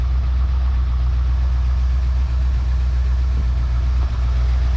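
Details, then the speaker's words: Long-abandoned 1971/72 Ford Mustang V8 at idle, no smoke except under heavy acceleration: deep steady idle, even low rumble, no knocks or misses; runs smoothly. "I think it runs really well I think it's pretty good wow not bad at all"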